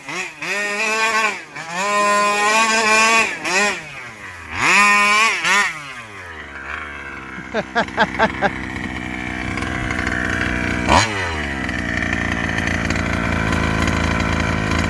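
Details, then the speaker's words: Rovan 5B fifth-scale two-stroke RC with new carburetor and clutch, first run, top-end being tuned richer: screams through repeated rev sweeps, then note drops away abruptly at full throttle; cutting out at top end, cause unconfirmed. "i don't know if you could hear it cut out while i was doing donuts right there i don't like that"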